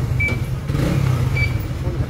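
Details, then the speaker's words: Trader 150 FI motorcycle that stumbled and stalled in rain, fixed with new spark plug and spark plug cap (the cap was the cause): even, uninterrupted low engine note after water test, no stumbles or cut-outs; running smoothly. "Meron kasing iba iniisip sa engine na pero spark plug cap lang talaga no. Ayan guys all good na 'to."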